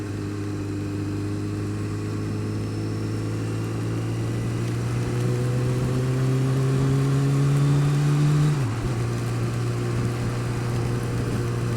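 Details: Honda Fireblade engine revving up and dropping back with a light, fairly regular tick over the note, worse when cold, quieter but not gone when warm; source of the ticking unknown.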